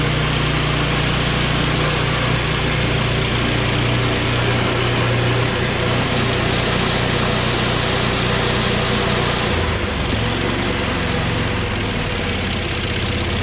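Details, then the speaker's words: Small snow blower engine started on choke at high throttle: settles into a steady, even idle with a consistent rapid beat and no misses or knocks; starts right away and runs healthy. "Beautiful. It started up right away. Good news."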